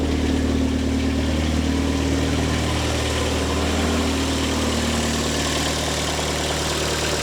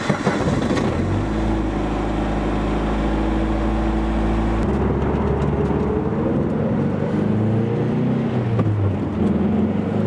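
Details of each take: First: Engine after rebuild, fuel pressure confirmed, running toward full operating temperature: steady even idle hum with constant low note, no knocks or misses; everything looking good, though oil has got into the cooling system. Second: Turbocharged car making about 500 hp, during pulls: steady drone turning into a rough, warbling, uneven roar as boost builds; owner suspects detonation or other uncontrolled combustion, not an intercooler pipe, logs not yet reviewed.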